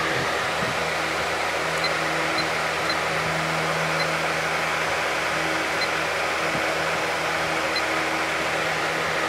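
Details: 1994 Lakewood HV18 fan: smooth, even rush of air with a faint steady motor hum, no ticking or rubbing; running healthy.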